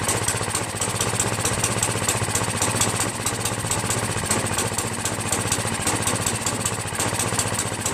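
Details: Free Craftsman 5.5 HP 26-inch OHV snow blower after carburetor cleaning, governor linkage adjustment and starter fixes, started on choke: small single-cylinder runs with quick, steady firing, no misses or surging; idle screw still needs raising as it stalls at half throttle.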